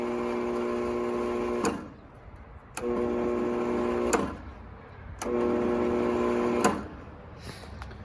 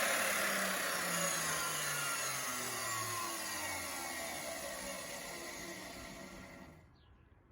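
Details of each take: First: 20-year-old, lightly used Bosch 4000 10-inch table saw: the motor runs backwards slowly in short bursts with a low hum and never reaches speed. Some sources blame the motor field, but replacing the failed speed control board fixed it. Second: 20-year-old Bosch 4000 10-inch table saw motor wired directly to the switch, speed control board bypassed: high whine falling smoothly as it coasts to a stop, no grinding or rattle; motor fine, control board seems to be the issue.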